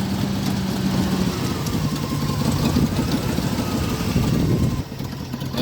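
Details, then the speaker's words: 2000 Ford F-150 V8, rough low lumpy idle that chugs and sags near stalling, shaking; after removing and cleaning intake, plenum, EGR valve and idle air control it runs even rougher, battery light on; owner suspects aftermarket intake/MAF issue. "sounds like it's gonna die it's chugging chugging it's chugging"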